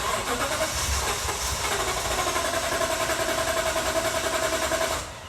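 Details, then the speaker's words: 2018 Toyota Tundra 5.7 flex fuel, about 122,000 miles, in cold weather: steady fast cranking churn for about five seconds before catching; recurring long crank each winter, owner suspects fuel problem, not fuel pump. "so generally speaking it's either a long start where it doesn't crank and then it cranks the second time or it's a long start and then it goes ahead and starts up"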